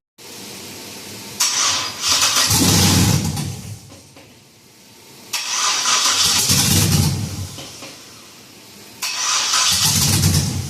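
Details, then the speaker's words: 1966 F100 on a Crown Vic chassis, LS-swapped V8: three tries, each a short crank, a brief roar, then dying within seconds. After grounds and power wires checked out, the owner suspects the tuner never deleted the VATS anti-theft, so the computer thinks it's stolen. "This thing just seems like the VATS has not been deleted. basically a short way of saying the computer thinks that it's stolen."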